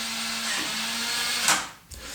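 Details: Nuki Smart Lock 2.0 on a door cylinder locking: steady mid-pitched motor whine for about a second and a half, then a soft clunk, with light confirming closure; normal lock motor operation.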